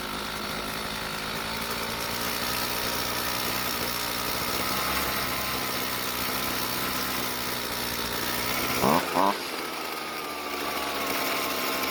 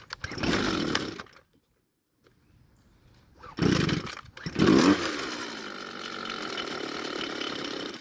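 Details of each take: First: Red-housed string trimmer with a former poor idle and hard hot starting, after a slight carburetor fuel adjustment: steady two-stroke idle with sharp throttle blips returning cleanly to even idle; running properly. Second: Red string trimmer, hard to start hot and won't idle: it runs briefly and dies after the choke is turned off, then fires and sputters back.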